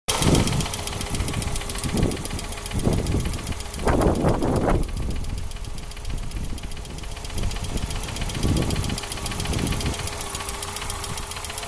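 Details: Hyundai 2.0-litre 8-valve engine at idle, tachometer needle wandering 800–1000 rpm: uneven surging, stumbling idle with a light knock on top; worn hydraulic lifter knocking, cylinder 1 plug lead shorting to ground causing misfire, fixed by replacing the lifter.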